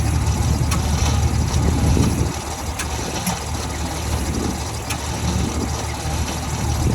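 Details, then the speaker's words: 1949 Ford shoebox sitting 50 years, gas poured in, timing possibly off or 180 out: slow laboured cranking about three turns a second, trying to fire but not catching, despite new starter cable, added ground and new jumper cables; cause not confirmed. "okay so I was getting obviously really really slow crank I ran a new starter cable um I added a ground even actually got new jumper cables cuz I thought mine might be junk um so that has not helped at all it's still super CL slow crank"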